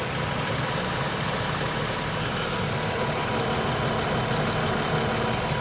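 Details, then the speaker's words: Toyota Highlander 2GR-FE V6 after overhaul for cold piston knock, started at minus 40 outside: idles perfectly smooth and quiet, only light even injector tick, no knock from the rear lower area where the piston previously knocked. "Мотор поет. Работает идеально ровно, идеально тихо."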